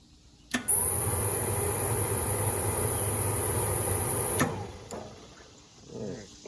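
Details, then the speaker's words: Hot water pressure washer with a newly installed timer and igniter: the motor runs and the pump pumps, and the burner fan hums under a sharp igniter buzz, but it never lights and no fuel mist sprays; cause unknown. "I can tell that the motor's running. If the motor's running, the pump should be pumping. And then it sounds like to me that the igniter is trying to ignite, but for some reason it's not lighting off."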